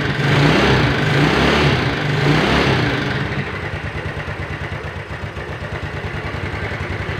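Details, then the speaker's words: Yamaha Mio Sporty scooter after a rebuild with a 200 oversize piston and worn camshaft and rockers repaired without replacement. A brief rev settles to an idle with faint, even tapping about four times a second. The mechanic attributes the slight knock to a slightly worn connecting rod. "eh sedikit dentingan Nadia untuk suara area dalam mesinnya karena yaitu tadi stang piston untuk motor ini sedikit goblok"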